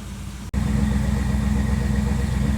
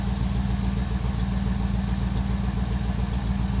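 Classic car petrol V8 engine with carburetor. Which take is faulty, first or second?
second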